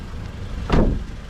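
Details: 2011 Mazda CX-7 with used engine installed, after clearing codes: a single quick blip rises and falls cleanly in under a second with no stumble or rattle; the engine revs freely and sounds healthy.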